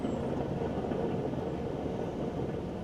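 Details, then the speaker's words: Troy-Bilt Bronco lawn tractor mower deck: a spindle with dry, worn bearings spins with a steady gritty rumble, compared to a rebuilt spindle with new bearings and grease that spins easier and quieter. "although this one spins a lot easier this one is packed with grease and is a lot quieter cuz we were getting a lot of noise coming from the deck"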